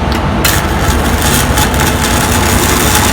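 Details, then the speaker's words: Great Yuva 400 A welding machine after repair of fire damage (burnt display, switch and other parts replaced), welding with a rod on mains power: even, continuous crackling from a stable arc with no dropouts or sputtering; normal arc welding. "यह बहुत अच्छे से चल रहा है।"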